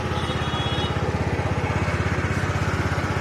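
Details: TVS Ntorq BS-4 scooter idling after the faulty one-way part was replaced to cure an odd noise: small single thumps at a steady, even idle with no rattle or clatter from the starter side. Smooth and healthy.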